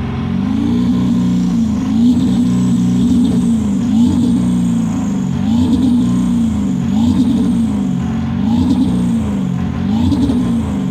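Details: 7.3 PowerStroke diesel floored, blowing blue smoke: repeated rev swells about every one and a half seconds with a ragged, uneven note, misfire under acceleration.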